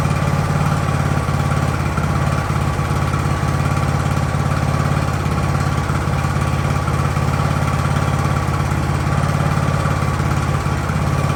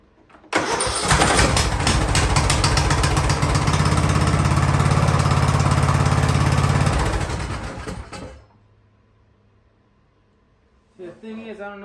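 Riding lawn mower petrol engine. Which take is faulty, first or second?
second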